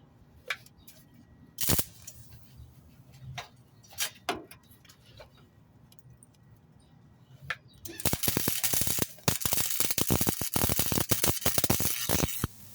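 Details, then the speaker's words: Flux-core (FCAW) welding on thin-wall pipe after a machine adjustment: quiet handling clicks, then a loud ragged crackle with sharp stuttering pops and a jabbing tink-tink instead of a smooth sizzle; wire feed speed too high, to be turned down. "Still feeling a bit of a poking. I need to turn that wire speed down some. I don't know if you can hear it, but I can hear the machine in the background. Sounds like a jabbing, like a tink, tink, tink, tink."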